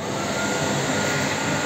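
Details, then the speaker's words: Homemade gas-cylinder stove with car heater blower (resistor from a VAZ-2106 heater) on the strong second speed: steady loud whooshing roar with faint hum, no knocks; owner finds it unbearably noisy. "О сразу задуло слышно да это вообще на мозги действует капец"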